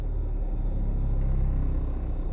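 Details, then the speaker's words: Renault Megane Grandtour flex-fuel after Radnaq Fuel Injector Cleaner additive test, warming up; after a rev to about 2000 rpm, low even rumble settles back to a steady idle without stumbling or hunting; normal idle. "qual que é um teste bom para fazer você vê que a ele já tá reduzindo ali pra pra rotação ideal né"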